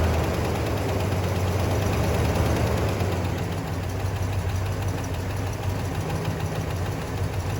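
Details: 1966 Pontiac Grand Prix 389 four-barrel V8, first start since 1992, fresh oil, carb filter screen removed: uneven idle with a fairly regular tick about three per second, slight blow-by; cause unconfirmed, owner hopes it goes away.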